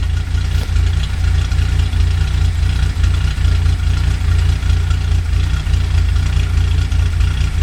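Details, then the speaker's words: 1982 Datsun 280ZX with ceramic-coated header, 2.5in straight exhaust, K&N intake, rebuilt EFI, warmed up at about 37°F outside; steady low rumble with slightly uneven beat and occasional small stumbles; slightly rough idle, owner suspects plugs or valve adjustment, unconfirmed. "I might want to check the plugs and adjust the valves. They'll probably idle a little bit more smoothly."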